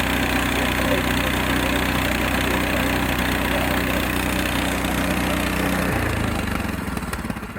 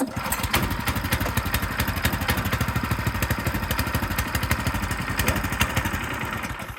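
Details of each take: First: Frontier OS18 sawmill small single-cylinder engine after a blade change, cold start on choke: idles smoothly and evenly, then winds down and stops; sounds healthy. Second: Frontier OS18 sawmill small single-cylinder engine, cold start on choke right after a blade change: uneven popping about three beats a second, hunting and rough while cold.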